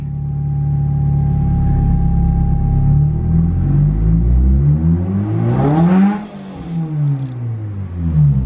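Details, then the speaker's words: RHD Nissan S13 Silvia, on test drive after reassembly and oil change, pulls up through the revs, then a short airy hiss as the throttle closes; owner says there is definitely a boost leak. "turbo timer and boost gauge we have a definitely a boost leak"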